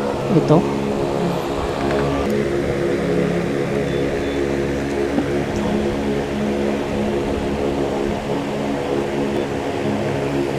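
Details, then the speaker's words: Asahi electric fan after repair, running on speed 3: steady, even motor hum with no knocking. The noise came from an over-long rear screw hitting the end of the shaft; the screw was replaced. "Okay walang ingay normal po ang operation naka number 3an Tin nawala po ung ingay"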